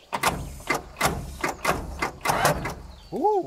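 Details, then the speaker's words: Water-flooded skidder diesel cranked on two fresh batteries: slow, uneven cranking about one stroke per second with wet splashing bursts as water is pushed off the top of the pistons. "oh that did not sound good no where did that come from H it sound hear that water that's coming it's pushing water off top of the Piston"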